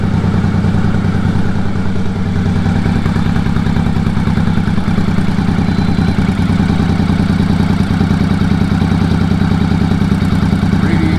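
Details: 1983 Honda Shadow VT500C, warm, engine temperature near center, just after replacing a bent radiator cap over coolant blowing from the overflow (head gasket first suspected): even, steady V-twin idle, smooth low beat, no misses, knocks or rattles, healthy.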